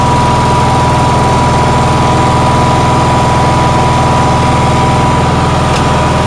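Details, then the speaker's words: Onan generator on a cold day, stator giving about 18 V and outlets about 160–170 V. Steady, fast, even engine beat with no hunting; it idles far too fast and won't adjust down, cause unconfirmed. "so i think this is idling at idle way way too fast"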